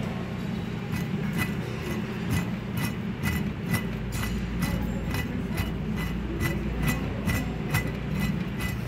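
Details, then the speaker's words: Wheel bearing spun by hand: gritty rumble with a sharp click about twice a second, a worn bearing that would be much louder under the vehicle's weight. "você imagina esse ruído aí com o peso do carro em cima"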